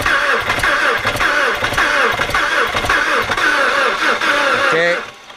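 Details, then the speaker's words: Audi A4 Quattro 2.0L FSI, cold start after cylinder head repair (burnt exhaust valve, leaking valve on cylinder 2, blown head gasket between 1 and 2), mass air flow sensor unplugged: stumbles along unevenly; rough cold running, cause not confirmed. "yeah it doesn't like the coal I guess uh try it again"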